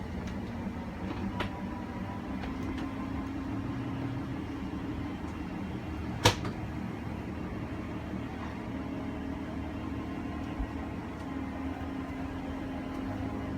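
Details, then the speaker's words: 2019 Forest River Wildwood 37BHSS2Q travel trailer, slide-out extending with the wall control held: steady low motor hum with a few light clicks and one sharp click near the end as motors reach full extension; normal. "so you just press and hold out for your slide it'll make its way out once that slide is fully extended you'll just hear some clicks from the motors letting you know they've reached their full extension"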